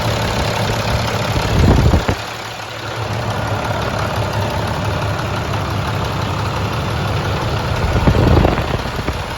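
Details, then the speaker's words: Rebuilt International 466E diesel truck engine at first start after rebuild, after it had died once and been restarted; steady, even idle with a firm low rumble, no knocks or misses, no oil or water leaks seen, sounds healthy. "but everything sounds great i mean to me that engine sounds very very nice"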